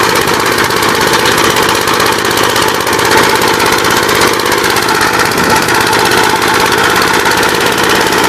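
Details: Gravely 59 LI single-cylinder engine with 20-over piston, oil had been mostly water, reassembled with PTO installed; loud steady even firing without misses or knocks, sounds healthy and settled.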